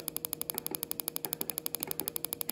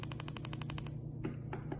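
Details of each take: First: Coil-on-plug on a bench test driven by a signal generator at 10% duty cycle: rapid, crisp, evenly spaced snapping ticks with a sharp crack each, considerably more intense than at low dwell; normal strong spark. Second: Coil-on-plug on a bench test driven by a signal generator, duty cycle lowered to minimum dwell: crisp spark snaps about thirteen a second fade to almost nothing; weak spark from too short coil dwell time.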